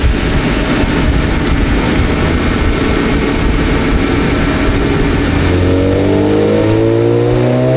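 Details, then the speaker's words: Fully built supercharged Acura NSX, freshly tuned, 450 whp on dyno, first drive; strong clean rise in pitch as revs climb smoothly with no misses or knocks, rowdy unique tone; normal revving. "Yep. This thing is rowdy. Sounds good. Dude, sounds fantastic. It's got a unique tone to it."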